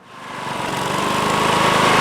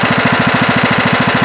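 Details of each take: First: Late-1990s Scotts lawn tractor, single-cylinder Kohler engine, run after sitting a few years: speed gently rises and falls in a slow steady hunting rhythm, governor arm moving back and forth; carburetor to be cleaned. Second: Late-1990s Scotts lawn tractor with a single-cylinder Kohler engine, after carburetor cleaning and reassembly to cure surging: quick, even chuffing at about thirteen beats a second, smooth low idle with no misses or surging; normal running.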